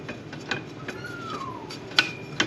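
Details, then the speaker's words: 2003 Mercury 15 hp outboard, shift linkage set at nine turns: quiet ticks then two crisp clicks as it seats into gear; normal gear engagement. "now I'm going to spin the prop of my foot at the same time if shifting felt it click right there so right where it should be right in this general area"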